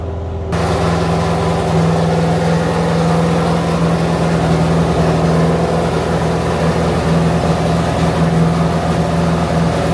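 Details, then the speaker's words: Chrysler 440 Six Pack V8 with rebuilt triple carburettors, not yet warmed up: loud, lumpy drone with an uneven, stumbling beat that never settles; rough running. "but now the engine is running badly once again R very not right no good no good"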